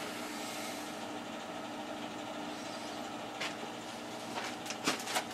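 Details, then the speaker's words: Newer boiler, only a few years old and side-vented, just started for the first time this heating season in a cool house: soft, even rushing hum from boiler and circulator, no knocks, rattles or surging; very quiet normal running. "This is a very quiet boiler."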